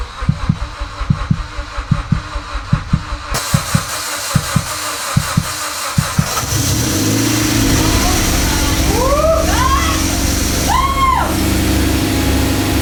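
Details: Evo X engine, sitting on a shelf over 10 years, first start after being swapped into the car: starter cranks in a steady chug for about six seconds, then it catches and settles into a smooth, even idle.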